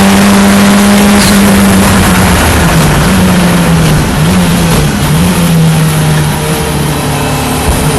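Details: Ford Escort Cosworth race car, first practice session at Knockhill: loud engine pulling hard, note stumbling and dipping several times under acceleration like brief cut-outs; misfire or ignition cut suspected, cause unknown.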